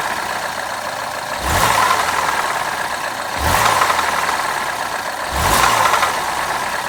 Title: BMW F20 116i N13 engine noise